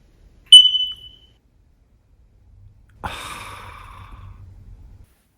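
One short, high-pitched chirp from a smoke detector, the single warning tone that signals weak batteries.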